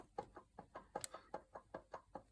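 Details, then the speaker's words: Porsche 911 996 with the pulley and accessory belt removed. The water pump wheel is rocked by hand, giving light sharp clicks. It doesn't sound too bad, but the bearing has quite a lot of play and needs replacing. "So, that's me moving the water pump uh wheel. And obviously it doesn't sound too bad, but there's load quite a lot of play in it."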